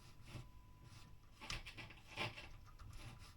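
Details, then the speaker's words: Early-1970s Sound City Concord valve guitar amp (ECC81/ECC83 valves) under service on signal generator: irregular scratchy crackles and rasping bursts from the speaker as the slider controls move; worn, dirty slider pots crackling. "these slides are not great at we've got problems there"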